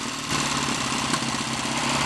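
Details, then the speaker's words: Triumph T140 Bonneville twin on first start after hot-wiring, idling raggedly with uneven firing while still cold, not yet settled; owner plans to run it longer to see if it warms and smooths out. "what I need to do next is just concentrate on making it that little bit happier with life possibly run it for a bit longer see if it warms up and settles"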